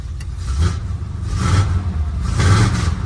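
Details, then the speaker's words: Engine of a dually pace truck with TBI fuel injection picks up cleanly on light throttle blips and settles evenly, no misfire or stumble, after fuel pump replacement; timing may still need adjusting. "Okay. I think we got to retime it, maybe look at a couple other things, but that sounded pretty good."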